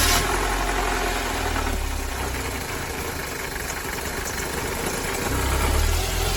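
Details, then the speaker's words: Mercedes-Benz W201 190E 2.0 (M102) at idle with a low, uneven rumbling under the engine note from a belt tensioner at end of life; tensioner, damper, adjuster and belt replaced, after which the noise was gone. "ゴロゴロとした異音が聞こえたと思います。"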